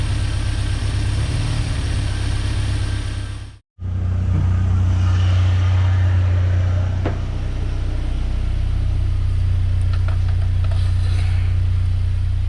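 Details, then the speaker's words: 1990 Ford Ranger, reman long block, idling after reconnecting the PCV line: uneven, lumpy idle with exhaust puffing in and out irregularly at the tailpipe instead of blowing steadily, a steady miss; exhaust valve hanging open. "to show you what I was talking about with the exhaust on this thing pulling back in and out in and out it's not a consistent I think it's one up in the pipe which it shouldn't be doing"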